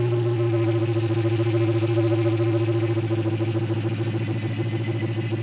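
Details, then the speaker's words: 2016 Dodge Challenger SRT Hellcat, 6.2L supercharged HEMI V8; loud steady whine over lumpy idle pulse, louder than it should be at idle; suspected bad supercharger bearing. "this is typically caused by a bad bearing and as you can hear in the sample video the wine is louder than it should be at idle"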